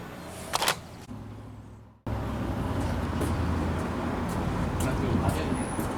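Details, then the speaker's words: 1976 Ford F-250 V8 after Holley 6947 carburetor rebuild and mechanical fuel pump replacement: engine catches and settles into a steady, even warm-up run with no misses or knocks; vacuum check on the carburetor looking really good. "so I got the engine running and I plugged up most of all the vacuum and so I was doing a vacuum check on the carburetor right now and it's looking really good"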